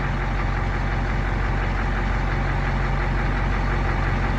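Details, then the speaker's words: Caterpillar 3208 turbo diesel fire truck, sitting almost a year, fires right up: low steady chug at idle, even beat, no misses or rattles; healthy normal idle. "Fire right up though, it's been sitting for almost a year."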